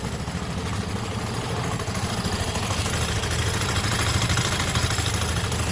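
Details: Vespa scooter idling to charge its battery: uneven, lumpy idle with about three or four pulses a second and a rattly clatter over it. Rough idle; cause suspected, not confirmed.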